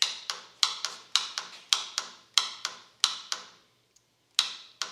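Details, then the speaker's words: Sawmill with Vanguard V-twin engine: turning the key gives rapid clicking from the starter solenoid but no cranking; the solenoid is bad, clicking but not making good contact. "solenoid's bad on the starter. Here's the solenoid. You can hear it clicking, but it's just not making good contact."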